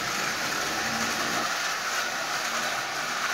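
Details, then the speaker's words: Marx 999 toy locomotive with a double reduction motor built from junk-box parts, E-unit bypassed so it runs forward only: steady high-pitched motor whir with gear hiss, even and unbroken; runs smoothly. "pull this motor out got it running how'd you see that actually isn't running too bad"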